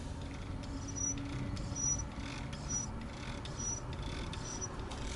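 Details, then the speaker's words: RV bathroom fan that was previously installed: a thin, high chirp repeating a little over once a second above a steady fan hum; motor bearing squeak, louder when running. "that is the uh fan that we put in here which I did a uh video on has a little squeak just the tiniest squeak and it drives me crazy"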